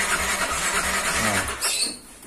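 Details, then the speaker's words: Yamaha NMAX scooter that won't start: starter cranks steadily for about two seconds but the engine never fires, and no fuel pump hum on key-on; fuses OK, a broken or wet wire in the left-side harness is suspected. "motor ini tidak adanya suara pulpam atau decitan suara pompa bahan bakar yang bunyi yeah yang seharusnya atau sewajarnya Nah tidak ada suara ya tetapi ketika distarter itu dia masih bisa"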